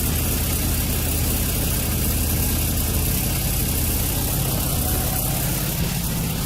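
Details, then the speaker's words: 2003 Nissan 350Z with P0300 random misfires, heard under the car: rough idle with constant low rumble and puffing pops from a test pipe leaking badly before the O2 sensor. Owner suspects this skews the air-fuel mixture. Exhaust leak. "you can hear the leak it's really bad and it's causing like some popping and it sounds like it's up in the engine"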